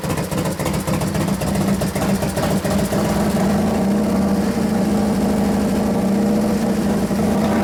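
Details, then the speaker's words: 1993 Harley FXR Evolution 89ci stroker, new build first start-up: deep, lumpy idle with even firing on both cylinders and a couple of light blips, sounds pretty damn good; normal idle despite intermittent starter fault (suspected relay) and slightly foamy oil. "sounds pretty damn good T"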